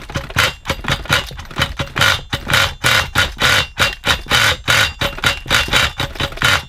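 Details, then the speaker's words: XTM Monster MT nitro RC truck, rebuilt with cleaned liner and bearings, no new parts, on very old nitro fuel: tiny engine sputters in uneven bursts, catching and dropping out; rough running. Compression reasonable; owner suspects fuel starvation or a blockage. "It did. It ran a little bit. Sounds rubbish though, doesn't it?"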